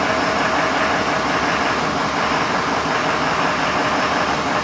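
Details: 6.7L diesel with suspected DEF cross-fueling, running off an auxiliary fuel tank during fuel system testing: steady, even clatter with no misses, knocks or surging; idling normally.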